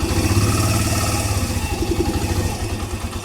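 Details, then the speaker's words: Suzuki Mola single-cylinder motorcycle after repair for a top-end tick that appeared once warm, with a new timing chain fitted and the original tensioner kept: even low thump at idle, no ticking from the top end, steady. Normal idle. "So ayos na mga ka-OT. Tumahik nga ung lagitiki. Nalagitik eh. A nawala."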